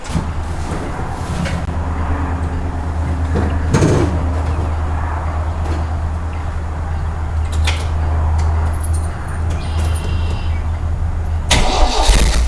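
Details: MGB after repair of a broken, unfused fuel pump wire off the ignition switch that caused a no-start: low, even rumble idling steadily amid handling knocks; engine fires and idles smoothly with no miss.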